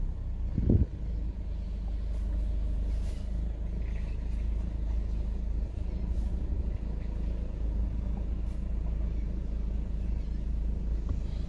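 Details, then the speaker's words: Ford with the DPS6 dual-clutch transmission, after dual clutch replacement, during clutch adaptation with the scan tool: after the wide-open-throttle touch points, the rpm bumps briefly and returns to a steady, smooth idle while it stabilizes for the idle touch points. Normal. "stabilizing the engine rpm and then it's going to do the idle touch points so it does a wide open throttle touch points and then it'll do idle touch points"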